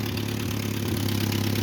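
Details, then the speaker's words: 1949 Ford 8N flathead tractor, auction buy, first start with carb settings, timing and gap unchecked: steady idle with sharp chuff on every firing pulse; owner suspects exhaust leak at the known leaking manifold flange, unconfirmed. "Hopefully there's exhaust coming out the back. Oh yeah."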